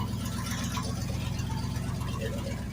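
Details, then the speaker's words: 1984-89 Ford F-150 cold big block, Holley 670 carb fitted recently, on choke, stock exhaust, emissions vacuum lines mostly unhooked: low, lumpy, shaky idle; rough idle from vacuum leaks. "that stock exhaust y'all can't tell me that don't sound good and yeah she's a little shaking I know y'all see that but yeah like this truck here has everything emissions with all the vacuum lines"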